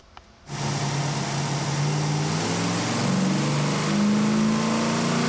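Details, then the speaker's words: Chevy 454 SS or Ford Lightning sport truck on a chassis dyno at wide-open throttle: V8 note climbs steadily, then turns ragged near 5,000 rpm as if a spark is dropping; mixture was lean up top and more fuel was added at 5,000 rpm. "but it's kind of shaky around 5 grand it sounds like it started missing close to 5,000 rpm like a spark was dropping in"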